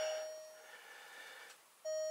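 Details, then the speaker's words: Alfa Romeo Stelvio Quadrifoglio after its depleted battery was disconnected and reconnected: ignition switched on without starting, and a clear electronic chime rings, pauses about a second, then sounds again as the warnings come up. "apparently what you're supposed to do is that you're supposed to first started without starting it just like doing this you can turn off this and then ast yeah that's the one esc these are all the warnings that will come up"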